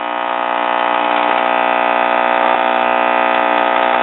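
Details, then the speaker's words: Junk Admiral tube radio: loud, constant buzzy hum with the volume turned all the way down and no stations heard over it. Bad filter capacitor hum. "here's our familiar bad filter capacitor sound volume is turned all the way"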